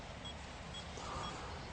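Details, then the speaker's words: Bionic X4 detector in calibration: faint, short high beeps about twice a second over a low hum, warning that the calibration value (255) is too high. Beeping stops once the value is lowered. "When it is very high, then you can hear the beeping. This is a warning that it is too high."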